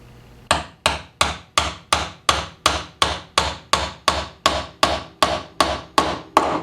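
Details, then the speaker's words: Gravely mower blade spindle bearing being tapped in with a bushing and bearing driver on its inner race: steady hammer taps turning sharp and solid, meaning the bearing is fully seated. "that sound right there? Solid. That means it's in there as far as it'll go."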